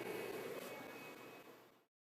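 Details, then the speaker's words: Shuttle SA76G2 V2 PC, Athlon X2 at 2.7 GHz, Radeon HD7750, microphone held close: quiet airy fan rush with thin steady high-pitched whine from the power supply fan; main fan quiet, graphics card inaudible. "the worst part is a bit of a high-pitched wine from the uh power supply fan um you know the main fan isn't too bad"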